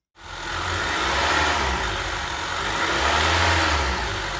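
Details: Honda 2.4 four-cylinder (2013–2017 Accord/CR-V class) after replacing the tensioner pulley and serpentine belt: clean rev that rises and settles smoothly with no whine, chirp or rattle from the belt drive; healthy.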